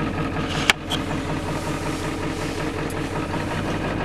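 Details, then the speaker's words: Ford 7.3L diesel idling cold at around 50°F: low, lumpy idle with an occasional stumble, cylinder missing; owner was told an injector may be leaking high-pressure oil, worse as oil warms and thins; unconfirmed. "Hear it missing now. Well, they said one of the injectors are possibly leaking oil between their high-pressure injectors causing it to uh short out and uh kick it off because of the pressure of oil, which when it gets warm, oil gets thinner."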